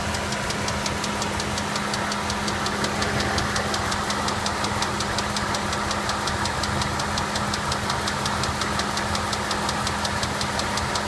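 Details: Ram 4.7L V8 misfiring on cylinder 7: steady fast tick, about three per second, over an uneven idle. New plug, rocker/lifter check and flush did not help. Compression 70 psi on #7 vs 150 others; suspected valve not seating or spun rod bearing.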